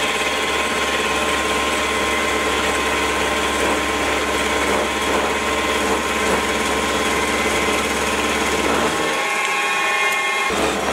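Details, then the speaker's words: Small ~100 kg milling machine, 2 mm width cut in steel before column stiffening-plate upgrade: harsh, buzzing rattle through the cut, rough throughout; chatter from flexing, under-massed column. "well that was a two millimeter width of cut and steel and you could probably hear that it was starting to sound pretty rough by the end"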